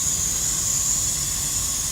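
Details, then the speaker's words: Semi truck, recorded underneath at the air dryer valve assembly with many air hoses: loud constant high-pitched hiss, no engine note; big air leak from failed air dryer purge valve, other valve good. "you can see that air leak right there big time here let's all of this stuff here right all connects to there you got a whole bunch of different hoses and stuff like that"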